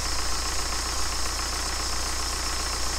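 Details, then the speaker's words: BMW N47 diesel with a broken timing chain, just refitted after repair and on its first run, no antifreeze: steady idle with a thin, constant high squeal from the accessory belt; alternator charging. Belt slip suspected. "well the alternator is working I can hear ramping up and the Bel sort of squeaking a bit he's got some juice on"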